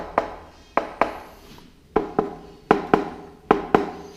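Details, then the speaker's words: Peugeot 103 moped: about nine dull knuckle taps on the stamped-steel fuel tank sound hollow and papery, unlike solid metal nearby; tank wall thinned by rust. "On entend que ça sonne creux, ça sonne pas le même bruit, d'accord?"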